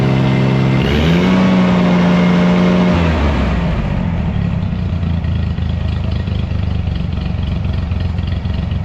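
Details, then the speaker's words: Scag lawnmower engine after cutting off muffler whose broken baffles likely restricted exhaust and caused rough idle and low power: brief rev then smooth even low idle; runs healthy after repair. "I think that dang exhaust was all my problem. She's purring like a little kitten, or the tiger that she is."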